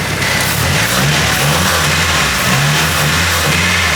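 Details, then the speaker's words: Nissan Silvia S14 SR20DE with newly fitted turbo (stock DET manifold, GT2860RS), first start: engine revs in short pushes but falls back, won't get past about 3000 rpm; cause unclear, but notably quieter than before. "You can't get past like 3 grand, so you can't even hear it, but so far, I think it did quiet down quite a bit."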